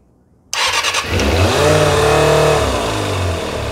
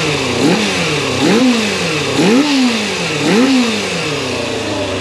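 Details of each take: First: 1990 Kawasaki ZX250 after rebuild, started cold on a little choke, with one slide swapped to another carb to see if the fault moves: it catches and settles into a wavering, hunting idle. That carb's vacuum slide bounces and wobbles. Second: Fully rebuilt 1990 Kawasaki ZX250, warm, after carb balancing with only minor adjustment: three quick blips rise and fall cleanly, then a smooth, even idle until shutdown. The carbs sound well balanced.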